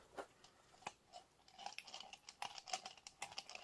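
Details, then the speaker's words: 2003 Saturn Ion with F23 transmission, front axle flexed by hand: irregular dry clicks and gritty crunches from CV joint whose balls sit with gaps giving play; worn CV joint causing the turning click, fixed by replacing axle. "it should click problem solved guys that click was the axle and the axle is now fixed for anybody that's curious"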